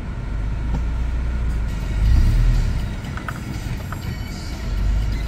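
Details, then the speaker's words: Subaru in reverse at idle, with the customer's complaint of very low idle and stalling (oil pressure light comes on). The low rumble sags and swells unevenly and nearly stalls, repeatably; cause not yet found. "almost stalled just back up a little more so this is pretty pretty repeatable of you know pretty much at idle it just wants to stall out here oh she almost stalled again"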